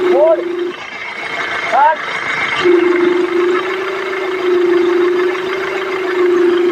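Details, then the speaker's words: Tata Harrier: constant mid-pitched whine over a quiet idle, coming from near the power steering pump; steering oil badly degraded from never being changed, with worn ball joint and arms also found. "तो ये steering pump के पास से आवाज आ रही है इसकी। अब मैं इसका ऑयल दिखाता हूं। स्टीयरिंग ऑयल कितना खराब है।"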